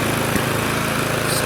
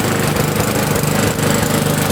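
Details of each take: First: Neglected Victa Sprinter mower, warming before oil change: steady high-idle buzz with an occasional spit or pop; owner unsure how much trash is in fuel tank, governor spring dodgy, oil burning off in muffler. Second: Neglected, previously non-running Victa Sprinter mower, single-cylinder engine with fresh fuel and a borrowed Briggs air filter; catches and settles into a steady, even run with a faint warble from a hand nearby; running properly now.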